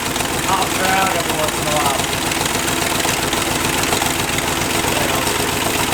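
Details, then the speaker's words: Chevy 283 small-block running on one head (four cylinders, homemade CNC head gasket), warm busy idle slightly higher than normal: light ticking up top, now and then a louder tap from one lifter rattling around. "that one lifter is getting bunked around a little bit"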